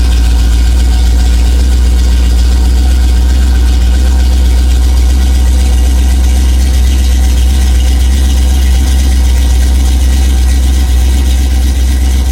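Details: 1987 Chrysler Fifth Avenue, not run for about 6 months, just started cold in January on choke: deep, steady, even idle with a smooth low rumble, no misses or knocks. Normal cold idle.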